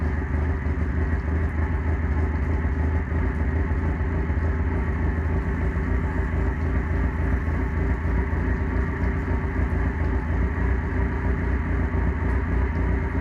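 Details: OMC 2.5L four-cylinder first start after water pump replacement: even, steady low rumble at constant idle with no knocks, misses or squeals; running cleanly.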